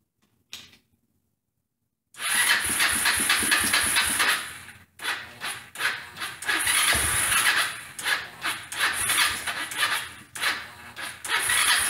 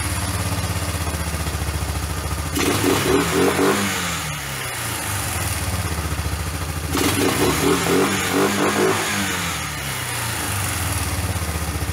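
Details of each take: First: Old Kawasaki four-wheeler single-cylinder, first start after home top-end work with hand-ground valves: fires ragged and uneven, surging and cutting out with sharp pops; backfiring from weak ignition voltage. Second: $50 Kawasaki four-wheeler basket case after home top-end rebuild with hand-ground valves, first start on a car battery via jumper cables: single thumps at idle, then revs cleanly up and down twice with no misses; normal running.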